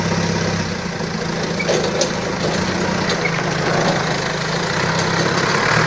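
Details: Balkancar diesel forklift after repair, with engine, clutch, brakes and running gear overhauled. Steady low idle with an even, unhurried beat and some yard noise around it, no knocking or rattles; it sounds healthy.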